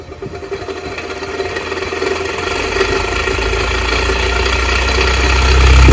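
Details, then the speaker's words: Farrata stand fan with a coarse, rough growl that builds and grows louder as the fan spins up to speed, the typical sound of worn motor bearings. "तो देखा होगा की हमारा पंखा जो है वह कैसे आवाज कर रहा है और अगर आप कभी पंखा से आवाज करता है तो इसको कैसे सॉल्व करेंगे"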